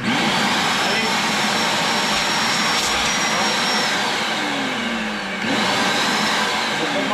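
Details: Vacuum cleaner after disassembly and cleaning of reservoir to cure loud noise: steady high whirring motor note with even airflow rush, no rattles or scraping; runs normally.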